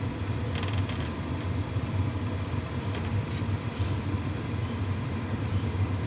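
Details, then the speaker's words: WIPPRO diesel heater running after priming and ignition, shotgun mic about 18 inches away: steady low fan rumble, fuel pump ticking barely audible, hot air flowing; very quiet, normal running. "It is super quiet, and there is hot air coming through here. That's unbelievable. Super quiet, actually."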